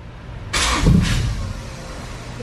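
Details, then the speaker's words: Honda Civic EG, long-stored, first start in neutral with jumped starter: brief crank, catches about a second then dies; cannot hold idle because the idle air control valve has no power. "Don't want to stay running though. So what's next? Injector's clogged up?"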